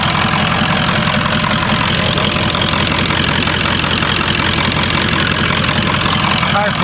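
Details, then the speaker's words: 1996 Ford F-350 7.3L Powerstroke diesel, test start after the electronic fuel conversion with a frame-mounted pump and filters; even diesel clatter at a steady idle with no stumbling; no leaks, engine running healthy. "we're test starting our 96 f-350 7.3 liter Powerstroke diesel after electronic fuel conversion"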